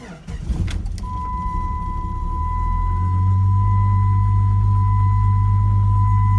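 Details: 1997 Jeep Grand Cherokee after unlocking with key fob to bypass alarm immobilizer: short crank, instant catch, smooth steady idle with constant chime; normal start and idle.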